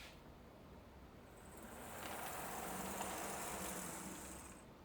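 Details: HO-scale model locomotive running on analog DC through a new DC/DCC selector panel: faint high motor whine swells and fades as it rolls by, smooth and steady with no clicking or stalling.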